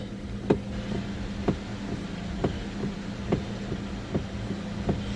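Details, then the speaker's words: 2006 Pontiac G6 with electric power steering: sharp clunks about once a second only as a turn is started left or right, not while holding the turn, from a worn steering intermediate shaft; gone after replacement. "does that whenever we initiate a turn when we continue turning it doesn't do it but just when we need to see a turn left or right"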